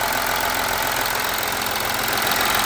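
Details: VW Amarok V6 TDI first start-up after coolant leak repair and new cam covers: steady, even diesel idle with light clatter and no knocks, misses or hissing leaks; no stored faults and engine light off; engine healthy.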